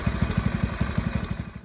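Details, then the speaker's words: Go-kart small single-cylinder engine running in neutral after PZ20 carburetor replacement: slow, uneven pulsing near ten beats a second before dying away; idle set too low. "got the engine running sounds like the idle is a little bit off so i really hope i don't have to take this thing off again to get the idle goat a little bit higher"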